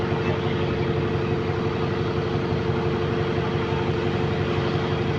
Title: GAL E210 Exhaust Leak